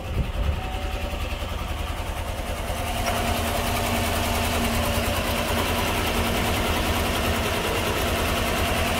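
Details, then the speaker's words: 2015 GMC Silverado towed in for stalling and running terrible, started with hood open; uneven, lumpy idle with irregular chuffing pulses about three per second that never settle, more than just a misfire. "that is not just a misfire either holy crap all right um yeah we're gonna pull this thing over to the shop and I'm gonna have to figure out what's going on here it's not just a misfire there's something"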